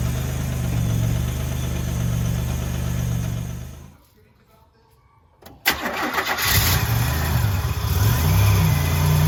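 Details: 1984 Grand National after the engine rebuild (rebuilt 140 block, fresh cam), coolant just filled: steady, even low idle, a pause as it shuts off, then it cranks, catches cleanly and settles back into a smooth idle; normal.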